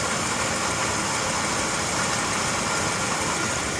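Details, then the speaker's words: 1987 Dodge Dakota, carbureted 3.9L V6, first start after a long winter sitting: steady, even run with some hiss after a small rev, no knocks or rattles; healthy idle, though a light tapping is usual after cold starts. "I'm not hearing anything unusual noises. There's always been like a little light tapping with this engine, I think usually after the first cold start."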